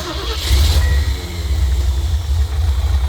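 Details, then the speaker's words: 1974 Ford van after sitting 30 days, with replaced fuel pump and rebuilt carburetor, starting once gas reached the carb after pumping and cranking: catches into a steady, deep, even idle, no knocks or misses; normal start. "And it started up. So, that proves that you're going to have to pump the gas and crank it a bunch of time a bunch of times to get the thing to start, which does suck."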